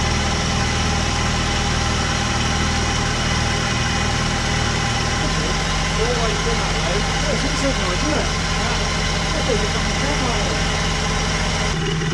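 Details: Vauxhall Calibra, off the road about 18 months, no major service in about 10 years, just started after fresh oil fill during major service, not yet warmed up: catches and settles into steady even idle, smooth low drone, no knocks or ticks; healthy.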